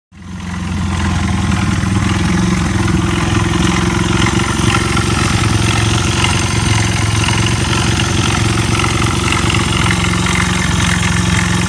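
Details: Honda Ape 1x5 small single at idle: busy, uneven clatter over the low thump, about three to four beats a second; abnormal engine noise, cause unclear.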